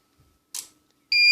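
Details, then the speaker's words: Powercom PCM RPT-600AP UPS (600VA/360W, 2019) plugged into 220V mains: faint click then steady high-pitched beep, no relay click, it doesn't see mains and won't charge; cause two capacitors lost capacity, 10µF 100V and 100µF 35V. "Він мережі, до речі, і не бачить, якщо нічого не клацає, коли включаєш мережу. Отак він защить."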